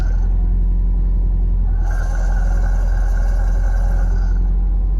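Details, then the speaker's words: Alfa Romeo Spider Veloce idling in neutral after a gear oil change, cold weather: a thin whine kicks up as the clutch engages and fades on disengagement, attributed to the throwout bearing. "pay no mind to the slippers and notice that the gear selector is in neutral with the clutch all the way disengaged as I engage the clutch you can hear a wiring noise kick up"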